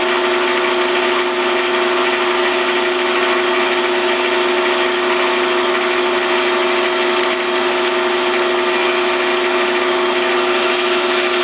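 Steady, even motor hum with a clean constant pitch and no chatter or thumping; the lathe is turning smoothly.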